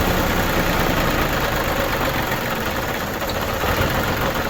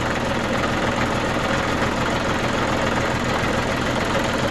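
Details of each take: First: New Holland Boomer TC25D diesel tractor, engine still fairly warm on a cold 12-degree day, started after a fuel filter change: rough, uneven clatter that dips, labours and stalls from air in the fuel system; needs bleeding. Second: New Holland Boomer TC25D diesel tractor idling after a fuel filter change and air bleeding: steady, even clatter with a constant low rumble and no stumbles or hunting, a healthy idle.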